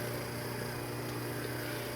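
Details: 1973 Camaro Z28 wiper motor, park and low speed working, high speed suspected bad switch: steady low electric whir with even tone, no catching, knocking or labouring; normal wiper motor operation on low speed.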